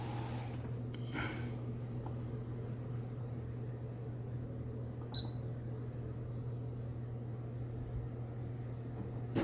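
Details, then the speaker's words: Electric fan on low speed after the motor shaft was cleaned of seized old grease and re-lubricated; the fault was the grease, not the capacitor. Steady low hum and smooth whir with no rubbing. Normal fan operation. "약품 에서도 잘 돌아가네요 소음도 없고 부드럽게 회전합니다"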